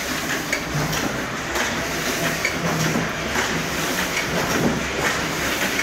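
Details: Heidelberg Cylinder diecutter Model S 21x28, missing some handles and the front cover, with safety cover and gears in great shape: steady mechanical clatter with an even, unhurried thump each cycle, no grinding or knocking. Normal smooth running.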